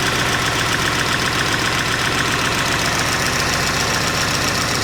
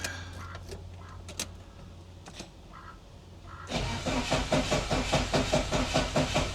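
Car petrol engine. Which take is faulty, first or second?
second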